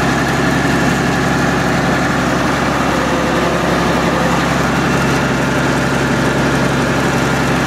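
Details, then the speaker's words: MEP-006A military 60 kW diesel genset, first run after sitting 3+ years, enclosure doors open, circuit breaker off: deep, steady diesel drone with constant low hum, no knocks or misses. Running smoothly; frequency reading not displaying correctly. "that is awesome not as loud as i thought it would be i got the doors open too"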